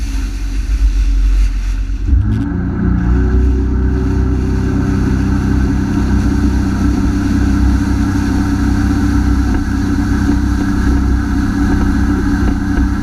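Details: Honda F-12X AquaTrax turbo jet ski at full throttle, newly replaced turbo: revs up sharply, then holds a flat drone, speed dropping from 60 to 28 mph; the cause was a clogged fuel filter, and the earlier turbo fault was likely a bad actuator.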